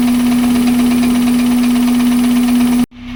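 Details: Toyota Corolla 7AFE petrol engine idling with a very loud aftermarket intake: steady hum with a fast, even knock, cause unknown; rod bearings, timing set, belts, pulleys, water pump replaced, valve clearance checked, 55 psi oil pressure, no sludge or metal.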